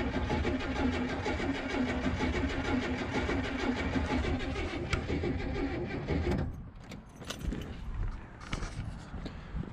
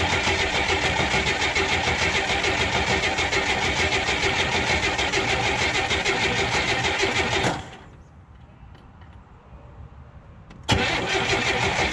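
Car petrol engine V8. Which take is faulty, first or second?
first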